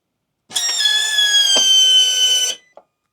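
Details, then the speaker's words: Harley-Davidson Pan America, second aftermarket Quantum fuel pump installed: high steady electric whine at key-on for about two seconds, wavering quieter and louder, then cutting off; noisy replacement pump, original HD pump later reinstalled. "Did you hear that? It gets a little quieter. It gets a little louder sometimes."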